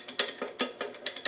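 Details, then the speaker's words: Land Rover R380 gearbox layshaft bearing shaken by hand in casing bore; new bearing lacks the old one's snap ring: light metallic rattle in quick bursts about five times a second, bearing loose in the casing. "rattles around like a pee in a drum. That's with a clip on. But if you put the bearing in the new bearing, it's all over the place, isn't it?"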